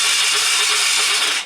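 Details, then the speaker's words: ATV that sat for years, cranked on a fully charged battery with the spark plug already removed. Starter spins fast with a light, smooth whir and no compression beats. "see now if you can listen you hear it crank over really fast"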